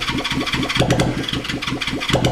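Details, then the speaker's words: 1975 Honda CB360 bobber project at about 22°F, no carbs fitted, with ether sprayed in and a hard start on the starter: uneven popping bursts as it fires briefly on the starting fluid but doesn't settle into a run. "we're just using the ether to fire it up not the best way of doing it mind you but I wanted to see if it would fire up and run"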